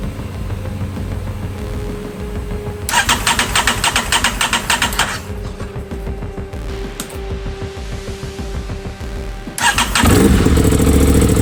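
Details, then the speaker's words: Crash-damaged 2023 Aprilia RS660 during rebuild, first start after reconnecting the fuel pump and its connector: brief pump priming buzz, then the engine catches and runs up cleanly with no misfire or knock; healthy start, shut off quickly for lack of coolant. "Oh my goodness. Really good, guys."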